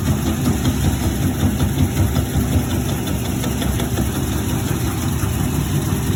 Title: Maytag washer making noise